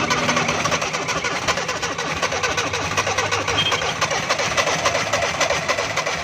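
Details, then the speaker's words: Suzuki FX 796 cc car that won't start on petrol, even with petrol poured into air cleaner: long crank with ragged uneven firing that never catches; gas and petrol appear mixed, flooding the engine, so gas to be shut off. "तो सबसे पहले इसका दोस्तों गैस को बंद करेंगे या पेट्रोल चलाएंगे, क्योंकि दोनों चीज़ें इसमें मिक्स लग रही हैं, क्योंकि इंजन बैग लगा रहा है।"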